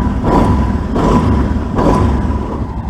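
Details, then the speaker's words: Arctic Cat 650 four-wheeler after carburetor vent tee cleared of dirt and rerouted with 5/16 hose: three quick throttle blips rising and returning cleanly to idle without bogging or popping; good throttle response. "good throttle response everything is just everything is this pack this uh four-wheeler is ready to be picked up"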